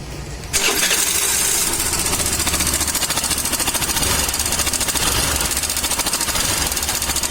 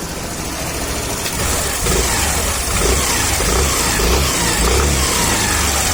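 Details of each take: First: Suzuki Access BS6 scooter fires up, then a quick metallic ticking chatter sits over the idle; top-end rattle from a slack cam chain tensioner. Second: Suzuki Access BS6 scooter idling evenly with a couple of light throttle blips, no cam chain rattle or tensioner tapping standing out; normal idle.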